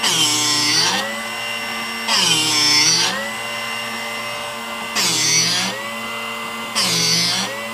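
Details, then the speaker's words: Drill Doctor 750X sharpening a solid carbide straight-fluted drill bit: a steady high grinding whine that swells every couple of seconds as the bit turns against the wheel, after the jaw depth was adjusted in small turns; a normal, even sharpening cut. "I think we're going to go right there. So that's the noise that we want to hear."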